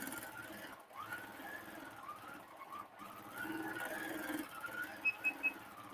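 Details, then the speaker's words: Cutie quilting frame with a domestic sewing machine in stitch-regulated mode: quick high beeps over the stitching hum, the edge warning that beeps faster as the needle nears the frame limit. "I'm close to the edge you can hear that beeping and the closer I get the faster it will start beeping"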